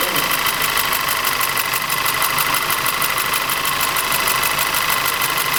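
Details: Audi TT 2.0 TFSI at uneven idle: steady ticking knock about three times a second with a stumbling, lumpy beat and unstable running; diagnosis found low compression and ignition misfires in the same cylinder.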